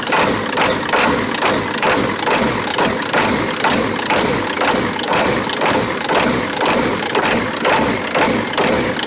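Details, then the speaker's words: 1996 Ford F-350 7.3L Powerstroke diesel with new fuel filter and cam position sensor: ragged loping idle about twice a second, won't rev with pedal down; owner suspects injector O-rings on one side, oil from exhaust, no blow-by. "wait a second I think I finally got this thing to run half-ass I can't get it to do more than this even with the gas pedal depressed"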